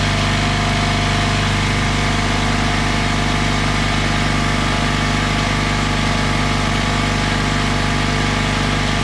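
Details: Craftsman oilless air compressor after a new drain valve was fitted: a loud, steady motor hum with a fast even pumping beat and no knocks or squeals while filling the tank to 40 psi; normal running.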